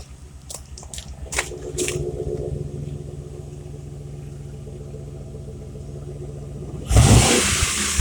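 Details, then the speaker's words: 2015 Chevrolet Express with a 4.8L Vortec V8 at startup, warming up: a few startup clicks, then a smooth, even low rumble with a steady idle beat. Normal Vortec V8 sound. "A lot of vortec V8s sound like this, especially the 6 liter."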